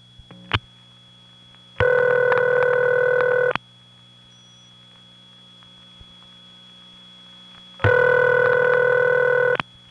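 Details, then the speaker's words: 1979 Raleigh NC call to a crossbar 5 office over squealy wire trunks. Two long ringback bursts, about two seconds each, roughly six seconds apart. Standard crossbar 5 ringback. "however there is another office in the area that has the standard crossbar five ring and one you usually associate with crossbar five and we have nice squealy wire trunks to it as well"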